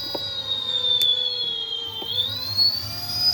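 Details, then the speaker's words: Electric bike motor on a Votol controller (EM 100 update), stepped from the low speed setting toward medium: a clean high whine dips, then climbs in pitch, smooth with no grinding; a makeshift block rubs the wheel. Motor and controller healthy. "I'll let y'all hear the motor. This motor sounds really good with this controller."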